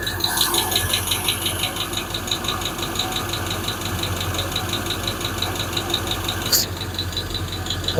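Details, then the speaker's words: Freshly built Hemi V8 in a Plymouth Duster with homemade intake, on a temporary fuel setup: a fast light ticking in time with the engine over a smooth idle, one lifter clanking; owner fears bad lifters. "Look at that one. One lifter is clanking away at all. That bothers runs like a damn watch right now."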